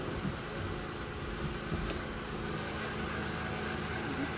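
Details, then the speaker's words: 2006 Honda Pilot 3.5L V6 after new power steering pump and genuine Honda fluid, steering turned lock to lock to bleed the system: engine runs with a low even hum, no whine or groan, and the power steering sounds healthy. "so all the fluid will go to the system do that a couple times and then that should be it you can hear it's quiet [Music] everything working good"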